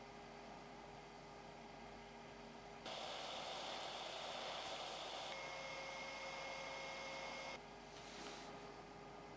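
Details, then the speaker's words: Amiga 600 cooling fan slowed with a resistor (27 ohms), a soft, low whir with a faint steady tone and no rattle or grind; normal quiet fan running. "sounds just right actually you can hear it just subtly when you like you know don't move but it's fine"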